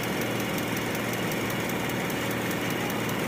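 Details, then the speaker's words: Toyota Vios with a misfire, ignition coils tested fine, cylinder cut-out test at idle: steady idle with a light regular tick that doesn't change when one cylinder is cut out, so that cylinder is dead; cylinder number two seems strongest. "parang hindi nagbago Ah hindi nagbago oh itong isya so malakas talaga Ang gana nitong siya So parang siya lang ang bumubuhay"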